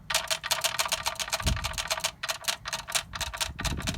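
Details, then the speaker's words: Gearbox turning in neutral on an MTX75 gearbox being swapped from Ford to Volvo: light, rapid metallic clicking, about six per second, when spun one way then back; the brass synchro rings shuffling back and forth, normal. "if i turn it in just one direction only and then i spin it back you hear that sound it tends to be that little brass synchro mesh there moving back and forth that makes the noise"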